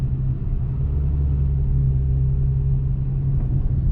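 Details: 2013 Dodge Challenger driven along the road shoulder after replacing the clunking sway bar links with new greased ones: only a smooth, steady low road rumble, no front suspension clunks; the sway bar links were the problem.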